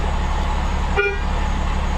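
One short, clear horn toot over a low idling engine; the horn sounds strong and works as it should.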